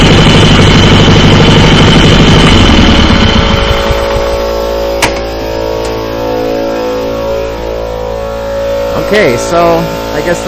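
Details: Circa 1976–79 Sears GT18 tractor, Onan 18 HP twin with dual coils, after carburetor cleaning, brass float and fuel pump rebuild: even steady hum, settles smoothly after revving through the range, no misses; starts without starter fluid.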